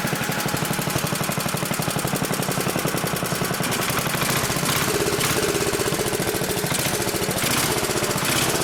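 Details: Old 1960s Briggs and Stratton single-cylinder, about 10 hp, Hale fire pump unit, freshly tuned, fresh oil, some old gas left: quick even popping settling into steady run, no misses; sounds healthy, though a bit smoky, owner suspects worn rings.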